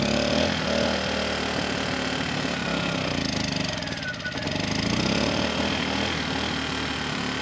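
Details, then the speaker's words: Kipor KGE 1000Ti 1000 W inverter generator, about 10 years old, surging and stalling since year 3 despite replacement carburetor, running on starting fluid: rough, uneven, speed hunting then dipping and faltering; lean running and stalling. "And surprisingly, the engine kept running without adding any more starting fluid. I mean, the engine was a bit unsteady, but it seemed like it was going to keep going, at least until I"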